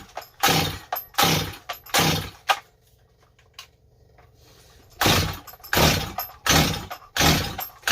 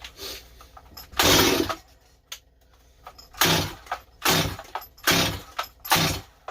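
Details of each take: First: Stihl 025 chainsaw, just rebuilt with a new Meteor top end after a no-start traced to a bad gas cap O-ring, revs crisply in repeated throttle bursts about once a second and returns to idle each time; normal running, strong and clean. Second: Stihl 025 chainsaw just rebuilt with new Meteor top end, carburetor low jet being adjusted: repeated cord pulls with short sharp pops that never run; owner suspected carb and it sounded flooded.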